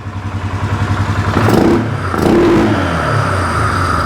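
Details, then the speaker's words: 2015 Polaris Sportsman 570 EFI single-cylinder ATV, after removing a piece of plastic someone stuck between two sensors that caused a code: no code now, fires up, fast even pulses climb smoothly through two quick blips and settle without stumbling. Normal revving. "but no more code fires up revs up all because somebody stuck a piece of plastic between these two sensors"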